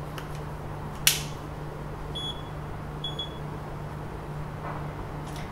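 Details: Xiaomi Mijia 360° panorama camera, triggered via app over WiFi: two short high beep pairs about a second apart over quiet room hum; normal capture confirmation beeps.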